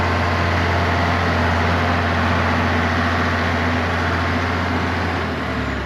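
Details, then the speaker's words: Allis-Chalmers diesel tractor just started after cracking injectors, running the electric fill pump, heat and ether: steady, even low diesel clatter at idle with no misses, knocks or hunting; sounds healthy. "Um, it's running. Sounds healthy."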